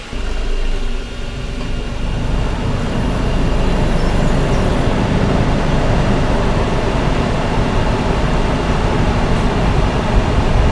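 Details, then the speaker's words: 2007 Nissan Quest at idle with heated rear window, heated mirrors, high beams, blower on high and AC on: constant low drone, no belt squeal; charging system holds 14.1 V despite weak battery. "So, we've really loaded this thing down. And the fact that we're sitting at 14.1 at idle is wonderful."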